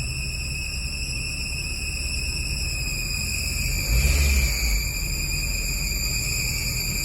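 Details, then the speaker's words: Honda Civic idling with the AC switched on; there is no noise with the AC off. A steady, piercing high squeal rides over the idle, holding pitch and swelling briefly midway: a belt or AC drive squeal, cause unclear. "AC on करके देखते हैं। Okay, तो ये मसला है। पिंको ये आवाज़ें कर रही है, तो इसका हल भी देख लेते हैं।"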